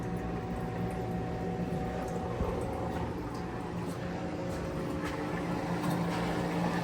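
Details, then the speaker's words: Motel ice machine that was not working, heard after cycling the curtain (bin switch possibly stuck): steady low hum with water gurgling as the water pump runs and the dump valve cycles and drains normally. "Sounds like the water pump works. Dump valve works."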